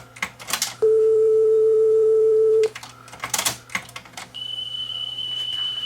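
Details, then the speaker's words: Sony TC-WE405 double cassette deck, deck A, playing a test tone that wavers in pitch. One common motor drives both decks; the belts are not broken or stretched, though the owner first suspected belts. Wow and flutter. "It doesn't sound good. It sounds bad, actually. Houston, we have a wow and flutter problem. Maybe that's the problem. It's got bad wow and flutter."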